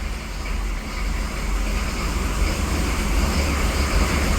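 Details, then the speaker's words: 1995 Chevy 3500 dump truck, 6.5L Detroit diesel, cold after sitting all winter: uneven loping idle clatter about twice a second with fan noise behind, smoky exhaust; still running a little rough. "Still running a little rough. Gotta turn that fan on. Gassing us out in here. Smoky."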